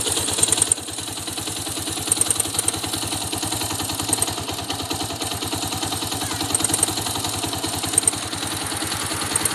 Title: Xr 200 ticking noise. Whats the problem?